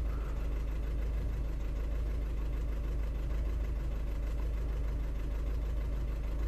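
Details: 2009 Audi A3 8P 1.6 TDI, remapped, limp mode and DPF light, codes P2463 and P0202: rough diesel idle with an uneven knock about three times a second and lumpy beat; misfire, suspected faulty injector.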